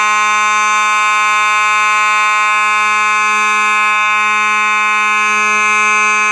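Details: Simplex 4903-9219 mechanical horn strobe, horn and strobe together: very loud, unbroken, buzzy low hum at an even pitch throughout; the mechanical horn sounds normal.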